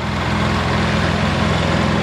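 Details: Polaris Sportsman 700 ATV idling warm after a radiator swap; thermostat open at about 163°F, coolant circulating, not overheating. Even, steady low chugging with a smooth regular pulse, no ticks or knocks; healthy idle.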